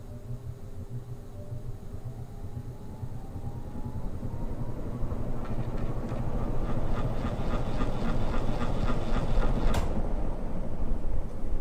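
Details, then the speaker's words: Hunter Original ceiling fan starting up: faint whine rises slowly in pitch as the motor takes time to reach speed; normal start-up whine. "so let me get up close and you can kind of hear the whine it makes when it starts up kind of a cool sound"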